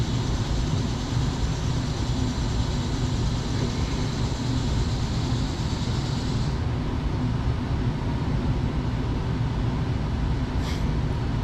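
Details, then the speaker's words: After a reboot on tap T3, the blower motor in a new Goodman heat pump replacing a Trane gives a deep, steady air rush that builds and settles, no scraping or rattling; normal operation, about 0.4 static pressure, 1545 CFM. "And it should come on, and we'll know when it's coming on. We'll hear that damper right there. Bingo. So I hear the motor ramping up."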